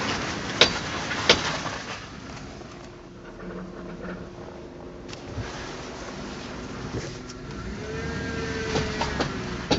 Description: Scary noises coming from front end.